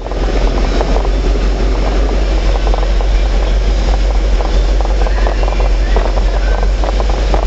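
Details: Red truck just after an oil and filter change. Heavy, even low rumble settles into a steady idle with no knocks or ticks, oil pressure about 38 psi at idle: normal idle.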